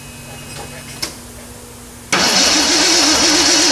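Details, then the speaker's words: 1979 AMC Spirit AMX, carbureted AMC 304 V8 rebuilt about 20,000 miles ago, first start after a Carb Cheater install: starter spins with a steady wavering whir but never fires. There is no spark; the ignition coil wires were found disconnected. "no so we have no spark why do we have no spark"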